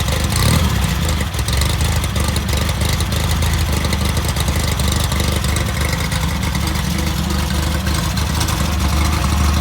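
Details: VW Type 1 1776cc rebuilt flat-four with Engle 100 cam, first start on a bench: busy, even idle with some revving and a light clatter; sounds like a healthy fresh engine.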